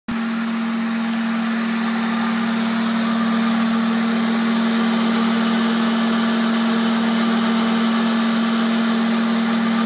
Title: Humming noise on my car.